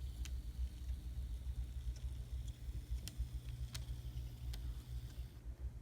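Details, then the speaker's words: Kato SD40 model locomotive, bought running noisy, after cleaning and maintenance, tested on the bench. A faint, even low hum with a few light clicks and no grinding; now running quietly. "can barely hear it now that's what I'm talking about"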